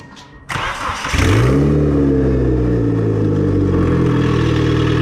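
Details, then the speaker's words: Mitsubishi Eclipse (420A) just turbocharged, first fire-up: brief crank, engine fires and flares, then settles into a clean steady idle with no knocks or rattles; sounds healthy. "So honestly, it sounds super good."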